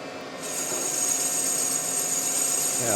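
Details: Kubota D902 diesel block, cylinder sleeve bored on the final cut with a sharper replacement cutter: an even, steady high-pitched cutting hiss with no chatter or squeal. Clean cut, unlike the dull cutter's nasty sound before.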